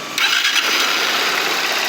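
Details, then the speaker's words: Motorcycle with cam chain noise, suspected broken rocker arm, after fitting a new cam chain tensioner and resealing the cover; fires right up, even idle, no rattle or ticking, noise gone. "barulho dela não tá mais defeito só era mesmo"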